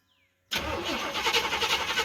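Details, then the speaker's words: 1988 Ford OBS truck with misfire, popping and sputtering, after new ignition module and cleaned cap and rotor, started before warm-up: fires right up, smooth steady idle with no stumble or misfire; running much smoother than before. "Running a whole lot smoother than it was last night. We'll let it warm up here for a few minutes and take it for a spin down the road and see what it sounds like."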